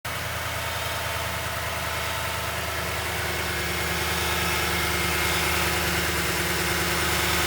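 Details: Toyota Tundra 5.7 V8 at idle with a strange engine noise: a faint, fairly even pulsing over the steady hum; cause unclear.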